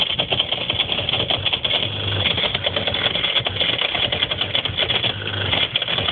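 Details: Whirlpool ADG 7540 dishwasher, heard from underneath: a rapid buzzing rattle chatters continuously under the wash noise, shaking the right-angle rubber hose and heater. It was solved by replacing the pump.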